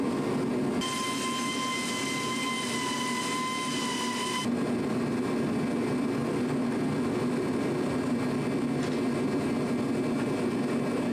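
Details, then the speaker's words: Challenger tractor after fixing a worsening exhaust leak: a constant, even drone at steady speed with no puffing or ticking, and all exhaust now exits where it should; normal running. "we just had it running and everything seemed all right all the exhaust is going out where it's supposed to sounds good"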